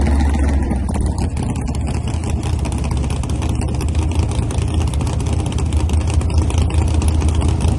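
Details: Freshly assembled race car on its first ride: deep, loping idle that wavers and stumbles unevenly instead of holding steady, typical of lean-running carburetors; something wasn't right.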